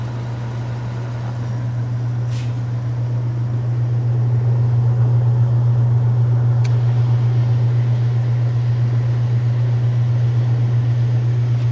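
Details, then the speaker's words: 1931 Frigidaire W-5 refrigerator condensing unit, just started after charging: low steady hum with a soft even pulse, no knocks or rattles; compressor runs nice and quiet. "Nice and quiet."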